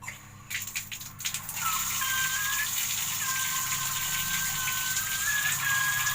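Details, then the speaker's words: Bathroom PVC drain pipe around 2 a.m., first thought to be a rat: steady rushing water with thin wavering whistle; noise comes from the pipe, cause unclear. "Kita kira semua tuh biasanya suka ada tikus di sini nih. Dikira tikus, dan ternyata suara itu bukan tikus, tapi paralon."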